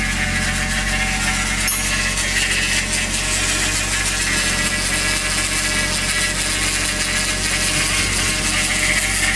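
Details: Toyota 1JZ VVT-i with new oil pump, new timing belt and Millers 10W60 oil: busy, hissy clatter at cold idle, starting 10–15 s after start-up as oil pressure builds and disappearing once warm; cause unknown.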